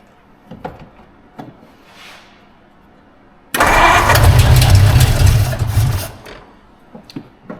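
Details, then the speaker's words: 1952 Ford Crestline abandoned in a field, first run on carburetor fed from the bowl: runs about two and a half seconds loud and uneven, then dies; huge vacuum leak and accelerator pump not working, carburetor needs work. "oh right we got this huge vacuum leak it's probably why it doesn't enjoy this right now I don't even know is this accelerator pump working that is a no buo that might be why there's a rebuild kit there"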